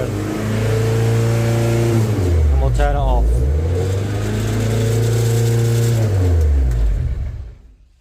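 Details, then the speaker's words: MGF race car on live data: engine note sags and recovers instead of holding steady, then drops away before stopping. Cause uncertain; no fault codes, but multiple misfire detected shows and the engine light has flashed since a conversion. Idle hunting. "so yeah that's what it was doing there isn't really any fault codes that suggests anything untoward"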